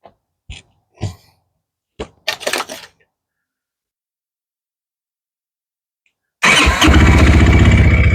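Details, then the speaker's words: 2019 Textron Alterra 300 ATV after primary clutch teardown for a screech from bald outer sheave splines: a few blips, then a steady, even idle with no screech; the problem was inside the primary clutch. "That's it. There's no gas. But anyways, that's it. That was the problem."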